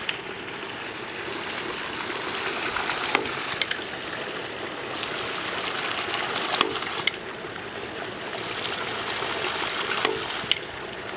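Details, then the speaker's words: Hydraulic ram pump fed by a 2-inch pipe from a creek, after running 2–3 minutes and building 20 lb of pressure: sharp valve clicks about once every 2 seconds, steady and even over rushing water; the pump is cycling normally. "2in pipe that's why it's running a little bit slower about once every 2 seconds it's been running what 2 3 minutes"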